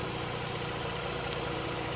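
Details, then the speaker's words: Mazda RX-8 rotary after a no-start, about 10 minutes later, no longer smoking; even, steady buzzing idle with a quick regular pulse, no stumbles or knocks. Normal idle. "Looks like it's running. It's got a pretty good idle."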